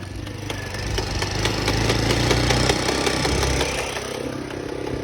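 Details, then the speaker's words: Cargo motorcycle (motocarguero) running in first gear: rough, uneven grinding rattle that disappears when shifted to second; broken first gear pinion. "cuando pasa así muchachos siempre es que se parte el Piñón de la primera"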